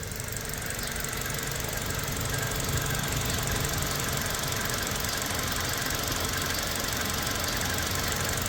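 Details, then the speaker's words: Toyota Fortuner 2.7 L petrol (likely 2TR) on LPG after repairing the rat-chewed cylinder 2 injector wire: an even, settled idle with a steady exhaust rhythm and no stumbling or misses. The misfire is fixed. "ก็นิ่งนะครับไปฟังเสียงท่อกันนิ่งครับเนียน"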